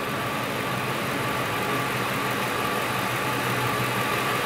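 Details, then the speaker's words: Idling engine heard through a DIY oscilloscope-based stethoscope probe held at the base of a fuel injector. There is a light, even ticking synchronized to the injector command signal as it opens and closes cleanly: normal injector operation. "isn't that sweet you can see what it opens you can see when they're closed the Sena scope can hear it and then we get a visual representation"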